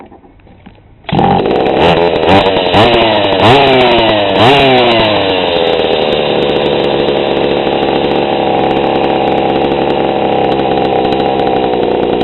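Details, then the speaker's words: GoPed GSR40 two-stroke with 603 carb and TGN manifold, low needle reset to 1¼ turns out on the bench: it fires, is blipped a few times, then settles to a steady, even idle below clutch engagement. This is a normal idle at the setting where it wants to run. "that is a one and a/4 turns on the low side that seems to be where it wants to run"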